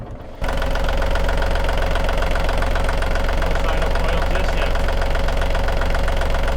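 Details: Marine diesel on a catamaran, test run after replacing the broken front crankshaft oil seal: fires and settles into a steady, even diesel clatter around two and a half beats per second, pumping cooling water; healthy idle, no oil sign yet.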